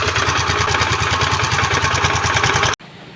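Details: Mio Soulty/Sporty scooter, noisy engine with metallic sound and no power at full throttle; owner says new CVT parts, belt and torque drive were fitted: harsh metallic clatter over fast, uneven idle.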